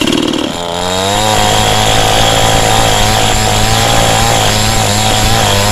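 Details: Cheap model 5200 two-stroke chainsaw with small chain and bar, cutting wood: high steady buzz holding pitch while biting into wood, no bogging; strong, no power loss, normal cutting under load.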